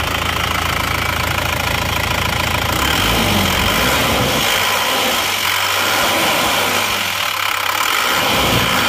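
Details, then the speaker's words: Isuzu Panther diesel, after new cylinder liners replaced a compression leak that smoked at the oil filler cap and dipstick, warm at 86°C; even, steady clatter, no misses or odd knocks, exhaust smoke barely visible; normal warm idle. "suhu mesin 86 derajat suara mesinnya seperti ini"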